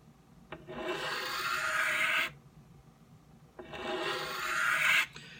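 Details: Knife on the fine side of a 12 in Norton India/Crystolon three-sided bench stone, correct angle and light pressure: two long, even rasping strokes with steady light hiss and no catches, edge nearly finished.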